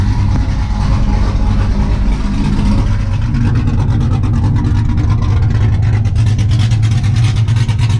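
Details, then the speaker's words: 5.3 LS-swapped 1991 Z28 Camaro, TSP cam, Holley Sniper EFI, muffler deleted to 3-inch straight two-into-one dump before rear axle: deep, loud V8 burble with uneven loping rhythm at idle; healthy cammed engine. "uh anyways guys i don't really think it sounds all that great uh it's been an idol sounds pretty good but it's got i mean it definitely sounds like a 5'3 now"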